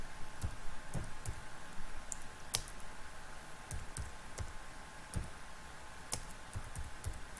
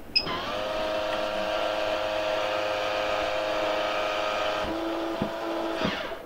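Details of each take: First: MaxxAir MaxxFan 4500K roof vent fan in RV bathroom: sharp, uneven clicks about once a second over faint fan hum; cracked automatic lid operator mechanism, fix is replacing operator part MA10-20281K-1AF. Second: MaxxAir MaxxFan 4500K RV roof vent after replacing the clicking lid operator mechanism (MA10-20281K): steady motor whir for about five seconds as the lid closes with cover on, stopping cleanly with no clicking; operator working properly.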